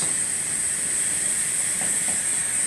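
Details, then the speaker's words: Pneumatic room thermostat in a conference room: steady, high-pitched continuous hiss that persists with a finger over the port. The supply tubing is broken at a bracket behind the thermostat, causing the air leak. "I'm going to just put my finger over that and it is still hissing so what's happening is is that the brake is on this tubing right here"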